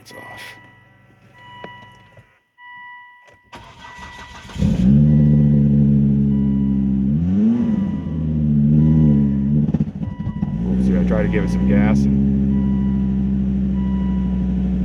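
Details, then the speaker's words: Volvo XC70 first start after timing belt replacement and wire harness rewiring, light throttle: cranks, catches and runs unevenly with a stumbling beat, slow to pick up; misfire, owner suspects skipping a couple cylinders. "yeah it doesn't sound very good when you're sounds like it's wicked skipping a couple cylinders or [Music] something"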